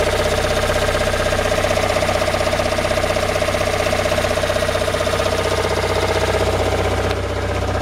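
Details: Toyota Raum 5E-FE engine after rebuild, idling: sharp, even knocks at about 158 per minute over the steady idle; cause unknown.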